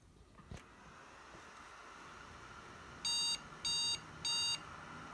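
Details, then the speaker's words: Three short, evenly spaced beeps at power-on from an AMD Threadripper build on an ASUS X399 Zenith Extreme (replacement board, updated BIOS), the memory error code when adding Corsair Dominator DDR4-3000 RAM beyond 32 GB; it never reaches BIOS. "lights and we get three beep code shuts off on you could get to the CPU shuts off so anytime we do anything with RAM that's as far as we go"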